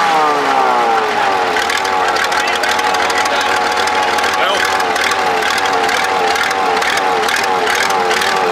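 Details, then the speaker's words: Supercharged Cummins diesel tractor after fitting a different injection pump: rises from start into a steady, even run with no knocks or misses; sounds healthy. "well there you go she sounds good got coolant"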